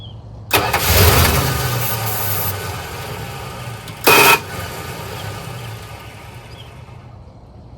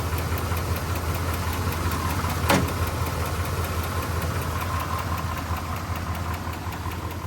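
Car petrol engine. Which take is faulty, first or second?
first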